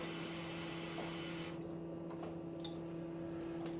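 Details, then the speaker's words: Replacement Tormach RapidTurn spindle is much noisier than the original: steady hum and faint whine with light irregular ticking, suspected spindle bearings (maybe lighter preload or lower-viscosity grease), not sounding about to seize; owner unsure. "it is a lot noisier than the other record turn and I think that ticking sound has his bearings but it doesn't it doesn't sound extremely bad it doesn't sound like it's about to seize up"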